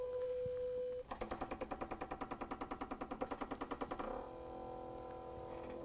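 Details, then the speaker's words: Idle air control motor, a reversible DC motor, driven on the bench by a Launch scan tool sensor/actuator simulator: steady tone then about three seconds of fast, even ticking pulses as the idle motor moves normally. "So now you hear it going. The idle motor is moving."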